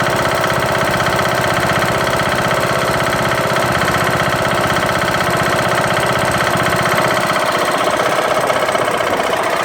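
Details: Craftsman LT2000 mower's Briggs & Stratton single-cylinder engine running after replacing broken camshaft and timing gear: loud hard knock about four times a second, cause unknown.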